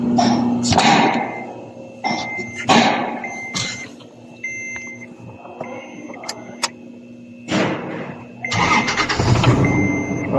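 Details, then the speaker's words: Toyota Land Cruiser LC70 with a cold hard-starting problem, restarted after its dirty MAP sensor was cleaned with contact cleaner (fuel pressure tested good): short crank, cab chimes, then it catches promptly and runs steadily; normal start. "Now it's good. car start simply. So that's it guys."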